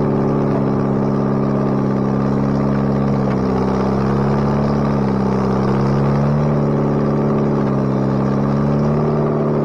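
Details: Bobcat 642B skid steer after head gasket replacement, working: even engine note rising and falling smoothly under load, no misses or knocks; runs pretty good now. Normal running.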